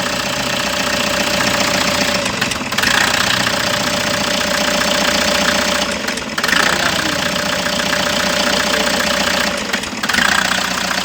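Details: Toyota HiAce engine with an uneven, chuffing idle that stumbles and surges every few seconds: misfire at idle, diagnosis still in progress.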